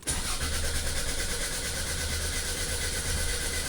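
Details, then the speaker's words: 2004 Toyota RAV4 crank-no-start, cranking with PicoScope connected: starter turns the engine at an even pace but never fires; scope shows no crankshaft position sensor signal though injectors have 11 V power. "And I can already see what our problem is. We are missing a crank sensor signal."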